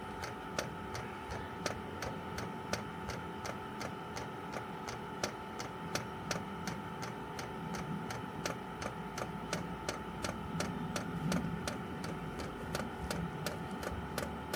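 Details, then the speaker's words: Chinese 12 V diesel heater running on kerosene, outside a caravan, priming via held panel buttons: steady sharp ticking about three per second over a faint hum; owner thinks it's the fuel pump; normal priming. "Tapping noise, I think, is the pump."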